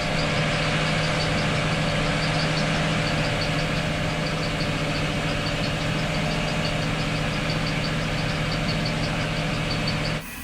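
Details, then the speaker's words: Starboard boat engine, long troubled by overheating, after a final repair, running at about 2,000 RPM on a low fuel tank: steady, even drone with light regular ticking, a pulley squeak noted just before; normal running. "That's 2,000 RPM."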